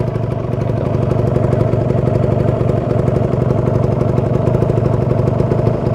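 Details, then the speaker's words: Warmed-up Kawasaki Ninja 150 RR two-stroke, original exhaust: steady, even idle above 1000 rpm with quick regular exhaust pulse, no knocks or misses; temperature has risen and the engine is ready to ride. "Hai Oke kawan-kawan ini RPM sudah cukup naik diatas 1000 ya dan sudah stabil temperatur juga sudah mulai naik Nah berarti ini sudah hangat sudah siap digunakan"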